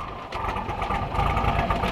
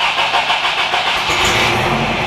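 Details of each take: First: Toyota pickup, cold engine, after a disc brake conversion: busy, slightly fast idle running evenly without knocks or misses; normal cold idle. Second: Toyota pickup with an uncharged, weak battery, fuel nearly out, weak-sounding fuel pump: sluggish, uneven cranking for about a second before the engine catches and runs; weak battery barely turning it over.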